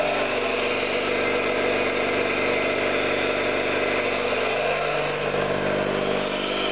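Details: Orlík 2 JSK 75-2 compressor after rebuild (valves, seals), one of first starts, motor temporarily star-connected: even, steady piston thump with smooth motor hum and no knocks or rattles; runs normally.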